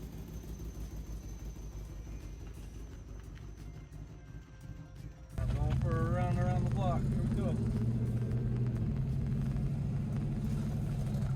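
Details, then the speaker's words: Supercharged V8 Jaguar S-Type R, revived after abandonment: catches and settles into a loud, lumpy, blatty idle with coarse rasp; exhaust sounds leaky and tractor-like, check engine light on. "so the check engine lights on and it sounds like a tractor because of the exhaust"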